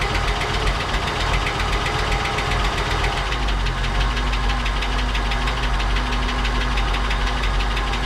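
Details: 1959 Cadillac project car, unstarted for 11 years, run after cleaning points and checking plugs: rough idle with a fast, steady light valvetrain ticking; noisy lifters or sticking valves suspected, not confirmed.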